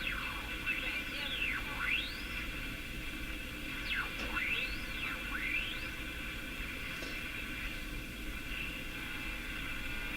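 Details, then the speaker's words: Canadian Philco #57 tube radio: rising and falling whistling swooshes sweep across a hissy station while tuning; swooshing interference, suspected to originate in the IF amplifier's resonant circuit, not confirmed. "Okay, so there's a swooshy sound that I really want to go after there. two of them"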